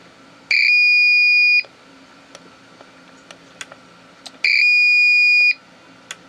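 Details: APC Back-UPS 500 powered on with no battery fitted: two long, high-pitched beeps of about a second each, roughly four seconds apart, warning that no battery is present.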